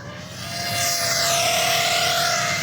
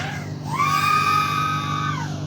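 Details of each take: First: BetaFPV 2004 1700kv motor on an X-Knight 5 toothpick quad, 6S 550mAh, tune unchanged: high buzzing whine wavers unevenly at low throttle and in prop wash; notchier, stronger-magnet motor than Brotherhobby, oscillation suspected to need more filtering. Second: BetaFPV 2004 1700kv motor on an X-Knight 5 toothpick quad, 6S 550mAh: whine sweeps up to a steady high tone and winds down evenly; full throttle smooth with little oscillation, same as Brotherhobby; oscillation only in turns/prop wash.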